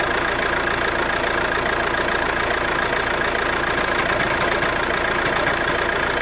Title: Ford C-Max knocking noise....flywheel?